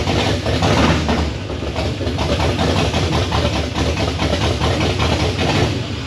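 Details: LS V8 with open headers that had a history of no oil pressure, first start after the old tune was deleted, leaving bad injector data: a loud, lumpy, uneven idle with stumbling pulses. It is misfiring and running rough, and needs tuning.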